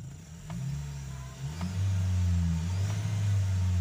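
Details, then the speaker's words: Ford Territory Titanium revved from idle with A/C and lights off after ECU cleaning and temporary fix of failing alternator for low power and low charging: engine rises promptly to a higher steady speed and holds evenly; normal throttle response. "So yun nagresponse naman yung ano niya RPM so super Okay y performance niya ngayon"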